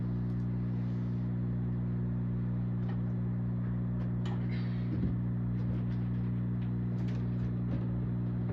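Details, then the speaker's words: Zaxxon arcade machine: steady low hum from the speaker with faint clicks and handling noise. It persists with the coin-door lights removed and the monitor unplugged; the board is suspected. Audio hum. "Still has the hum. Don't know where it's coming from. Just don't know."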